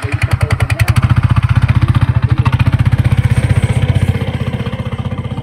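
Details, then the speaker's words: Scooter after the drive belt snapped on a long highway journey and was replaced, rollers said to need changing: coarse, low, tractor-like knock about four times a second; knocking from the CVT drive. "నాకేమో ఈ sound ఎలా వినిపిస్తుందంటే ఏదో tractor sound వస్తుంది కదా అలా వినిపిస్తుంది same అలానే"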